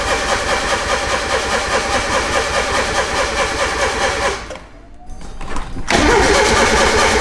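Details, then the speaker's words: Turbo Miata cranks steadily at about two beats a second but won't fire, right after a wideband gauge was plugged in; unplugging the wideband was tried next, cause unknown. "I plugged the wideband in and now the car doesn't start what"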